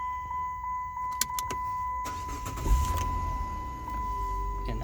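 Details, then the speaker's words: 2005 Chrysler 300 with a no-crank no-start ignition switch fault, started by turning the switch with a screwdriver; warning chime, short crank, engine catches and settles into even idle; normal engine start. "so what i've been doing is i've been driving it with a screwdriver see i shut it off [Music] and i'm going to start it on with a screwdriver just turn it"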